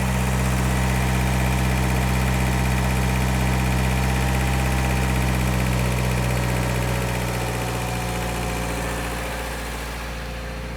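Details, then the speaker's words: Toyota 4Runner after valve adjustment, engine seems quieter; steady even drone with fast smooth pulse, no knocking, revs still sitting high; high idle, owner plans to turn it down and set properly later. "Obviously the idle is still high, but I'm gonna back this thing up. I'm actually probably gonna turn the idle down just slightly until I can mess with it."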